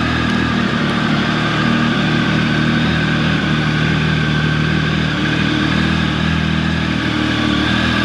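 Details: Triumph 1050 motorcycle, about 14 years old, cold start at about 48-49 degrees: smooth, steady fast idle with even exhaust beat, no ticks or knocks while warming. Normal cold start high idle.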